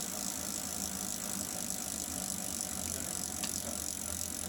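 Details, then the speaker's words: Wahoo KICKR Snap trainer, bought December 2018, developed clicking after about a week of use. With the roller pulled off the rear wheel, the bicycle drivetrain spins with a soft, steady whir, almost silent and healthy. "So, pulling off contact from the back wheel. Drivetrain is almost silent."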